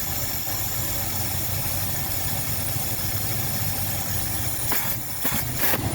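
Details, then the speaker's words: Ford Galaxie 500 on a temporary test fuel supply, warm with the thermostat open: a steady idle that sags and stumbles in uneven bursts as it runs out of gas, fuel starvation. "I'll be out of gas. Oh, okay, yeah, we're out of gas."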